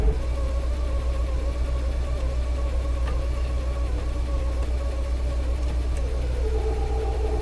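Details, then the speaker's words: 1956 Cadillac Sedan DeVille, driven over 100 miles since restoration, idling in gear: steady high whine over the engine, worse in reverse, fading in park, quieter than before; worn automatic transmission. "see if you hear that squeaky that whining noise now remember the clip you just saw it's actually not as loud as it used to be it's not a good noise"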